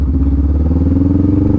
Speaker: listen to how loud the bike gets right it's screaming I'm up to 20 miles per hour in first gear it's screaming at me it wants me to up shift right